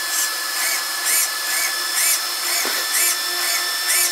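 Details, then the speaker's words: Arrma Senton RC truck after replacing failed stock steering servo with an Arrma 25-tooth waterproof servo: short whirring bursts about once a second over a steady fan whine; steering works normally. "And they steer just like they should."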